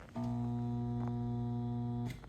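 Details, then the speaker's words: EasyPro TH400 pond pump plugged in: steady low electrical hum for about two seconds with no run-up; motor stalled by a failed run capacitor (30 µF, 250 VAC), replacing it fixed the pump. "it just makes that humming noise."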